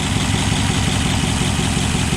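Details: 1962 Ford F-350 V8 after carburetor float and needle-and-seat work, timing advanced, new plugs and wires: steady, smooth low idle with even pulse, no misses, pops or rattles; healthy idle.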